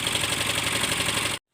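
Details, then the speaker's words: Yamaha Mio Soul i 125S scooter, four years old, cold start at first use in the morning: rapid metallic knocking over idle that fades once warm; head and cams to be checked; worn crankshaft bearing. "ung naririnig nio yan Ang ingay niya yan kaya ngayon bubuksan natin siya titingnan natin kung ano yung Trouble niya yan o ang ingay niya"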